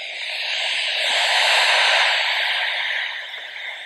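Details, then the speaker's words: Used MOTU FireWire audio interface: no meter signal from any microphone, gain or setting; after about a minute of warm-up the headphone output carries only constant loud static hiss. Monitor volume reportedly broken. Cause suspected, not confirmed. "Nor can I get any signal from the headphones other than like a bunch of stat static. Doesn't seem to start immediately."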